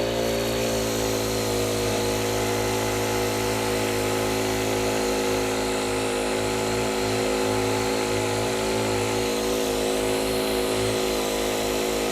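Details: Honda WJR4025 backpack sprayer with GX35 four-stroke engine (E10-capable petrol), running at high speed while spraying high; small four-stroke buzzes steadily, smooth and even with no misfire or knock. Praised for its smooth Honda sound; healthy normal running under load.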